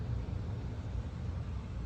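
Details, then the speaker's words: Outdoor central AC unit after flood, running again after reconnecting loose wire: steady low hum with even fan rumble, no buzzing or rattle; ice-cold air inside. Normal AC operation after repair. "okay so we're outside in the unit here and it appears to be working"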